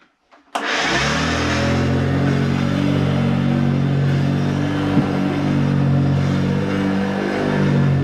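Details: Hoover vacuum cleaner, hoovering: switches on into a loud, strained drone with a heavy low hum that holds steady; it works but sounds bad.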